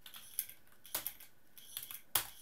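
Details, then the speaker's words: Laptop hard drive after swapping its controller board with an identical same-model drive, plugged into test bench: sharp irregular clicks in uneven bursts, drive not detected by the OS; board swap failed, drive clicking. "and no drive shows up and it's clicking really badly"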